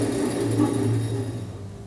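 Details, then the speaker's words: Bandsaw DC braking module buzzing steadily after switch-off as the blade stops; normal, felt as vibration through the bed, wait until buzzing finishes before restarting; steady low electrical buzz fading out. "When you turn the machine OFF, you will hear a buzzing"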